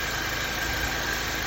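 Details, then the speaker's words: 2002 Nissan Altima that ran rough with hesitation, after a basic tune-up with new spark plugs and clean gasoline: quiet, even idle with a steady hum, no stumbles or hesitation; engine idling smoothly. "no more hesitation just with the plugs and some clean gasoline"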